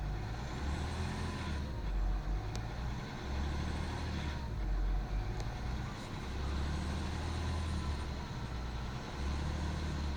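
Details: BMW E39 530d diesel revving and dropping back: a loose rattle comes through mostly as the throttle is released, and is also heard when driving; owner suspects timing chain noise, not confirmed.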